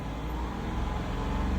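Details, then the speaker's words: 2021 Dodge Durango R/T 5.7L HEMI V8 after new spark plugs: smooth low rumble climbing evenly as throttle opens, no stumble or skipped beats; normal revving, no misfire. "If you had a misfire, you would hear it. Sounds good."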